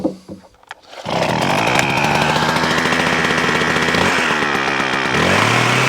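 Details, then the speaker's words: McCulloch Ego Light 6228 long hedge trimmer, fuel and lines look fine, started on choke: it catches into a raspy high buzz that wavers and sags midway; owner reports it bogging down, cause not yet found. "Taffy says it's not running right, mate. He says it's bogging down a little bit and all that sort of stuff."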